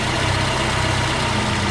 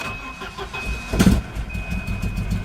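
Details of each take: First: Volvo 240 idling after fuel pressure regulator replacement; before the repair it barely started and wouldn't run. Now a loud, steady, even idle with no stumbling or hunting, and no leaks. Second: Volvo 240, engine barely starts and runs rough, stumbling and surging with irregular pops, barely holding idle, won't rev and sounds fuel-starved; owner suspects the fuel pressure regulator.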